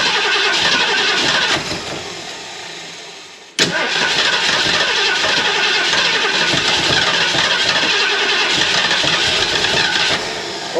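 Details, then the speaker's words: 351 Cleveland V8 in a 1979 Mercury Capri, fuel poured in the carburetor bowl and pumped: regular cranking about three to four turns a second, then an uneven catch into a loud rev; flooded, hard to start, told to open the choke. "Open the Open the choke. It's It's flooded. Open the choke."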